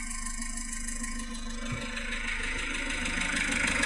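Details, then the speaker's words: Citroën XM 2.1 TD phase 1 diesel idling with a light, regular clack about four times a second over the engine note. The rocker arms (culbuteurs) are clearly heard, likely loose rocker or valve clearance. "Bon là les culbuteurs on les entend bien."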